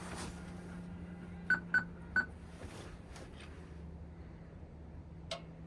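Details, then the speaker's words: Excavator left sitting for months will not start: three quick high beeps over a faint hum, then nothing turns over with jump leads connected and the kill switch on; they suspect not enough power or a poor connection. "Okay, it's not enough power. Maybe our connection isn't good."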